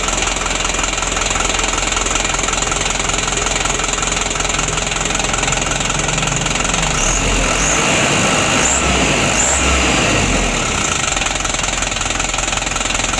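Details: 2016 Hino Dutro 130 HD diesel with hard starting and unsteady idle. The Bosch pump plunger adjustment is bottomed out and cannot be set further, so it was evened out and reduced. Long cranking catches into a ragged diesel idle with an unsteady knock, and heavy smoke follows.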